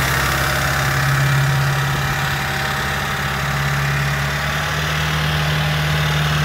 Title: M5 F10 S63TU TICKING ENGINE NOISE (short)